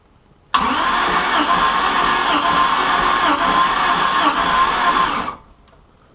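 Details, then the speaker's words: Mercruiser Chevy-block marine engine cranking with all plugs out and compression tester on cylinder one, reading about 134 psi: even steady chug about three per second; compression on that cylinder sounds healthy. "because all the plugs are out no effort and then all of a sudden it'll beof cuz it's having to compress this cylinder that has the compression tester on it"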